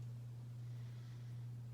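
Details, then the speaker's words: Hampton Bay Cameron II Plus 52-inch ceiling fan from December 1999, on high speed: loud steady low electrical hum, barely turning, little air moved, because of a bad capacitor. "unfortunately i found a weakling in the cameron clan because this one has a bad capacitor and it hums really badly because of that it's not going to perform like it should"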